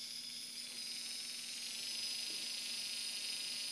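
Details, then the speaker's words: Turnigy D3530/14 1100KV brushless outrunner motor, defective: steady hissy high-pitched whir with a gritty rough edge and visible shaking from bad bearings, unlike a quiet good motor from the same batch. "okay this is a motor with bad bearings noisy and rough feel the vibration let me roll this one now"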